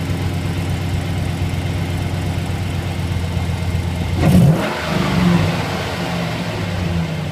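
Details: 2008 Chevrolet Silverado V8 at idle: an uneven tapping under the exhaust note that quickens with revs. Ticking noise; exhaust manifold leak or knock suspected, not confirmed.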